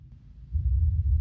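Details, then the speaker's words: Logitech Z5500 subwoofer after replacing capacitors in the control pod that would not turn on: after a short quiet gap, a deep steady rumble plays through the sub; output normal. "I'll boost that volume and post if you couldn't hear it but it was definitely playing through the sub"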